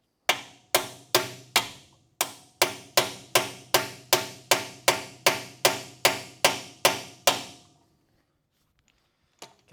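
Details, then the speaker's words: 1966 Chevrolet C10, GM 12-bolt rear axle, new Koyo bearing race driven in with a race driver: eighteen sharp hammer blows at about two and a half per second; the ring changes as the race bottoms out and seats fully. "Sent home. You hear the tone change there, then you know it's all the way home."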